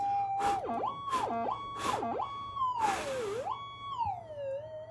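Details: Minelab GPX 5000 metal detector, circuit board cleaned with methylated spirits and a cotton bud: tone swoops and wails in time with breath blown on it, a false signal from moisture on the board.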